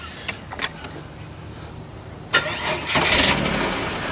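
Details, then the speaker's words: 2000 Holden VT Commodore, about 144,411 on the trip meter, run on a spare battery: short crank, catches quickly, then a quiet, steady idle with no knocks; healthy start. "But the engine, now I've had it running, it's actually quiet."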